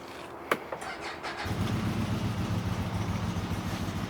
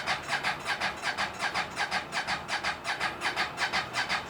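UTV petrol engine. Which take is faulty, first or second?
second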